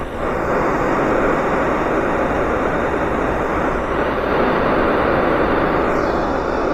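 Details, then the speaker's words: Ford Fiesta air conditioning leak, heard through an ultrasonic leak detector held at the suspect fitting: steady, unbroken hiss of refrigerant gas squeezing past a gap at the fitting thought to be leaking. "that's the sound of the uh sound of the uh the gas squeezing past the gap and creates an ultrasonic noise"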